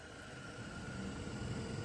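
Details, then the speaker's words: Newly fitted heater blower motor in a project car with a small-block 327; smooth, even rush of air with a faint steady whine, no rubbing or rattling; normal blower operation. "sounds sounds sounds wonderful so blower motor sounds wonderful so I bought a new one so slap that in there"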